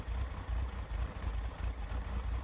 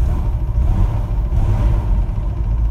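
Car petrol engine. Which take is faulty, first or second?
first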